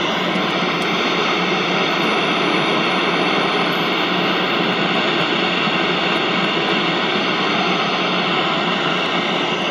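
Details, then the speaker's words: Early-1960s General Electric M5 black-and-white portable TV at startup, 6DQ6 tube; loud steady rushing hiss, harsher than normal static, not legitimate static; cause unknown. "I don't know what just happened there. That doesn't appear to be like That doesn't appear to be legitimate static. That's something else going on."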